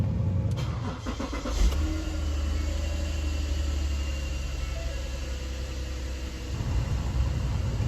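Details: 2011 Ford Flex, key on: quick run of sharp clicks from the air recirculation door actuator behind the glove box, whose teeth may stop catching over time, then a steady low hum; actuator being replaced.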